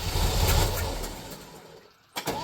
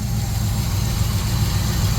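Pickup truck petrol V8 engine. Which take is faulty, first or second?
first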